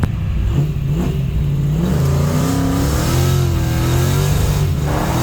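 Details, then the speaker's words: 1965 Chevelle with a new clutch that has failed: engine revs climb and hang with wavering pitch while pulling in first gear, clutch slipping instead of gripping; also slips in third, cause undetermined. "all right here we are patiently waiting first gear sounds like it's slipping right off the"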